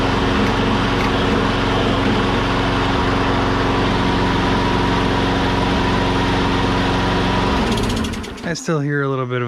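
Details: Used Star push mower after troubleshooting: steady drone with an occasional brief stumble every few seconds, then revs change; a slight intermittent miss remains, cause unclear.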